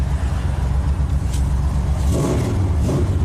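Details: 1995 Chevy Camaro V8 after a no-crank fault: deep, loud rumble swelling and easing with throttle, strong and even, no knocks or misses; healthy revving.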